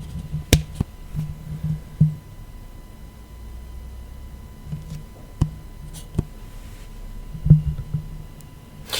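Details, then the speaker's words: Superlux E205U USB microphone after adding a 1000uF capacitor to the 5V supply to remove squeaks: only a soft steady hiss, faint low hum and handling clicks remain; clatter gone, normal mic self-noise. "True, there is noise, but it is the microphone's own noise"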